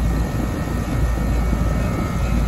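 Deep steady rumble as the condenser compressor comes up and keeps running evenly, no stalling or repeated hard-start hum.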